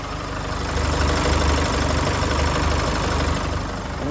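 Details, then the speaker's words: Chevrolet S10 2.8 diesel, 2016, nearly 150,000 km: a light sewing-machine ticking over the clatter at idle, worse on acceleration and stopping when the throttle is released; it comes from the failing high-pressure fuel pump, which must be replaced. "S10 2016 já e marcha lenta ela faz um barulhinho tipo um Teté uma máquina de costura vamos assim dizer em aceleração e acaba sendo muito agravante mesmo Esse barulho tá esse barulho nada mais é do que é proveniente da bomba de alta pressão"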